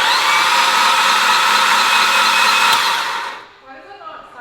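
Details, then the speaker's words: Mitsubishi Evo X engine cranked for oil priming with spark plugs, coil and crank sensor removed: fast, even starter whir with no compression pulses, spinning freely; normal with no compression. "normal because there's no spark plugs there's no compression we're just free spinning the motor"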